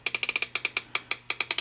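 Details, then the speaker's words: Vintage Sankyo Seiki mechanical digital clock after motor oil holes were sealed with hot glue: light quick ticking from the gear train, no motor whine or grinding; virtually silent, healthy. "So this thing is working very well. I mean, virtually silent."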